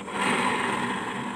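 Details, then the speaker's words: Honda Beat carburetor scooter (around 2010–2012), CVT noise complaint: rear wheel turned by hand gives continuous dry gritty rasp; worn final-drive gearbox bearing pair needing replacement. "cara mengeceknya seperti ini kita tahan kita putar rodanya ya bunyinya kasar ya oke"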